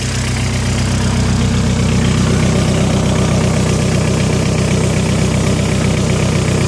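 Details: 1.8T engine with aftermarket (IE) connecting rods, 27k km since rebuild: steady idle with a regular tapping knock, about two or three a second, over the engine note; engine knock at idle, cause unclear.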